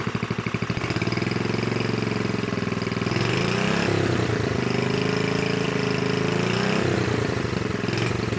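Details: Completed new-old-stock Briggs & Stratton 5HP dual-shaft aluminum-bore engine rebuild with 70-80% NOS/new parts and new kill switch; fires evenly with a steady beat, settles after a slight speed swell, no smoke, runs clean and healthy.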